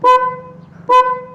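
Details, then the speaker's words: Two short, clear, steady horn toots at full strength with ignition on on a Yamaha MX King, testing the battery while diagnosing hard starter-motor starting; horn works so battery is fine, normal horn operation. "Nah itu harus nyala. Kalau misalnya dia nggak nyala, berarti masalahnya bisa dari aki."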